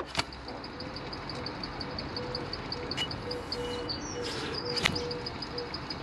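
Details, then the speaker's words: BMW 123d E81 N47 diesel alternator with belt removed, pulley spun by hand: faint quick repeating chirps from worn alternator bearings, matching the squeal heard when running; alternator being replaced. "if you can hear that chirp hopefully that's picking up on the camera um but that is the noise that we're hearing during operation so that is the reason why we're changing it"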